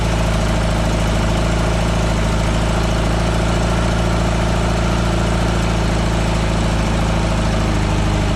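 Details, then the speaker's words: 1976 VW Westfalia with a 2.0 L air-cooled Type 4 flat-four on new dual Weber 40 IDF carbs (no chokes), cold start, accelerator pumps still need tweaking: a loud, steady low idle thrum with even beats, no misses. Normal idle. "cold start again idf's do not have chokes so we're gonna fire it up and I still need to tweak the accelerator pumps a little bit"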